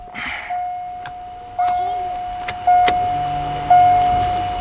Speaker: Alright, let's prime this fuel pump up a little bit more. I don't think it's quite charged enough yet.